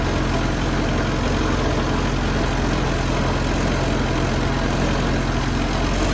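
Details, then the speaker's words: 1974 Toyota Celica 18RG engine, off the road 25+ years, after replacing the seized water pump, thermostat and block flush: deep, even drone with no squeal or knock; runs smoothly, though owner calls the carburetor poor. "seems to run really good i'm not quite sure why they ever parked it in the junkyard in the first place"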